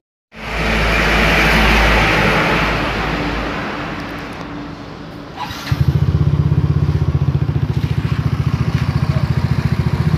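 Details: Yamaha Mio J scooter, previously stuttering with the MIL showing 15 blinks, starts after error codes were reset with a diagnostic tool; revs briefly, then holds a steady, even idle without hunting.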